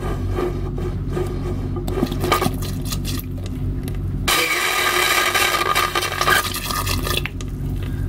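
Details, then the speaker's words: Boat vacuum toilet flushing with a steady hissing air-sucking noise underneath; air leaks past worn black rubber gaskets under the china bowl, which need replacing. "okay you might hear the toilet making air sucking noises"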